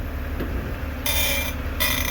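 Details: BMW driveshaft turning in reverse: sharp high squeaking chirps over low drivetrain hum, vibration felt in shaft; lubing didn't stop it; traced to worn flex disc (guibo) versus center bearing.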